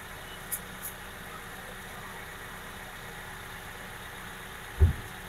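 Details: Toyota Avanza Veloz, 30,000 km, after flooding, rough noise on pulling away and deceleration traced to burned clutch plate: quiet, steady low idle with even hum, no knocks, rattles or clutch chatter; normal idle.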